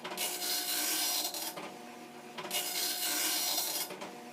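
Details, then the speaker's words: Commodore NX-1000C multi-font dot matrix printer, version 1.3, running its self-test, started by holding paper feed at power-on, which repeats in a 125-line cycle: dense raspy buzzing bursts about 1.5 s each, evenly repeated line after line; printing normally, ribbon good, all pins firing. "this test repeats itself indefinitely in a cycle of 125 lines."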